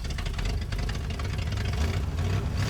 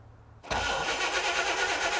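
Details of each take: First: 1960 Chevrolet El Camino V8 unrun since 1998; a low, uneven rumble with a loose beat as it catches and runs for about 9.5 seconds. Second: 1960 Chevrolet El Camino unrun since 1998, old points ignition; cranks at a steady even churn but never fires, no spark: the coil gets 11 volts in but no spark comes out, and the coil may be dead.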